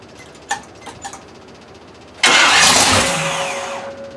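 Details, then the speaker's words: Grand Marquis V8 fired up after being reassembled from pieces days earlier. Starter cranks briefly, engine catches, roars up smoothly and settles toward a steady, even idle; sounds stronger and healthier than last time, normal start. "well you think gays is she sound a little bit better this time that's probably the healthiest you guys of her it sound almost sounds like she wants to go do some damage"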